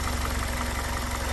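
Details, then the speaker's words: 2001 Toyota Corolla 1.8 after fixing P0301 cylinder 1 misfire, brief light throttle in a parking lot at night: smooth even low hum with steady beat, no stumbles or skips; engine sounds healthy. "le voy a dar un poquito no más y escuchen Cómo se el motor está hasta ahí hasta ahí No más porque no quiero que me V a regañar"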